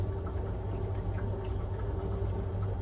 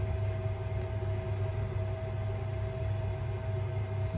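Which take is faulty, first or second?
first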